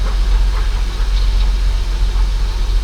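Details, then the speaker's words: Holden VY Commodore, about 305,000 on the odometer, first start after 7 years parked and fuel pump replacement: steady low rumble with an even beat and no knocks; normal running after start. "Come on, mate. Did you hear that fuel pump? Oh [ __ ] He runs. It's alive."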